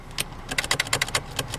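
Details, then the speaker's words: 1996 Subaru Legacy Outback, engine running, foot on brake: sharp, uneven clicking from behind the dash as the automatic shifter stays stuck in Park; shift interlock not releasing due to a blown 20A horn/brake light fuse. "And you can see doesn't want to move. You can hear a clicking coming from uh behind the dashboard. I don't know what that is, but for some reason, it just isn't working."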